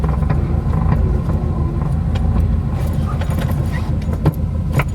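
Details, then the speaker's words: FRS just fitted with solid transmission mounts, running roughly at idle: low drone with light metallic rattles and clicks from the shifter as drivetrain vibration comes through the stiff mounts. "yeah there's a vibration in the drivetrain here uh you can feel this whole thing just vibrate and then the i don't know if you can hear that but uh the actual shifter is"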